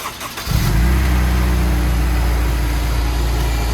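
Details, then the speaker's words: Honda S2000 engine, bored 0.25 with ARP head studs, started after top end reassembled correctly: catches within half a second and settles into a steady, even idle with no top-end ticking. "Let's fucking go! Dude, what? It's not ticking."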